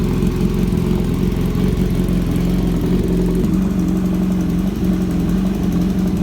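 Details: Kawasaki Z900 inline-four after long sitting, cold start idle: fast even loud tick over the exhaust drone, from the front of the engine, also heard while riding; owner suspects a leaking header gasket.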